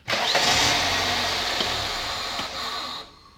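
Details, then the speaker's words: Toyota (Corolla/Camry type) throttle body IAC valve, not working hours earlier; AC on, idle-up works, engine settles to steady, smooth idle with no hunting or stumble — normal idle, valve working. "AC, idle up. Okay, the valve's working well."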